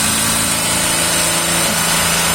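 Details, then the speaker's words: 2019 VW up! TSI, 50,000 km, new VW clutch kit two months ago, mic under the gearbox: at 3000 rpm with the pedal pressed, a steady whirring hum with thin hiss, gone on release; suspected fork chattering on actuator. "beleza você entendeu daí em rotação alta 3000 giro ele faz o barulho como se tivesse tripidando o garfo sobre o atuador certo isso em mais Giro Alto ele tripida mais"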